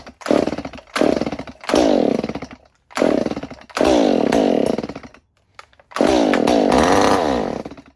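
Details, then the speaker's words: Stihl 019 top-handle chainsaw that sat for years in a barn, compression and spark confirmed, starter fluid sprayed into the plug hole: bursts into a high rasping roar then dies, about six times; fuel delivery fault, carb and fuel system most likely need cleaning. "Most likely what we're gonna have to do is get in underneath here, take this carb apart, clean that out, clean the fuel system out, check over everything else while it's in there."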